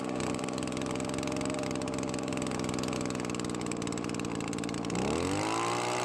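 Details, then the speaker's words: Well-used Echo two-stroke leaf blower, previously dying after a minute, treated with Marvel Mystery oil: thin, flat uneven buzz climbing as the carburetor mixture is adjusted, running but very low on power; low compression. "well the blower works but it is very low on power as to be expected"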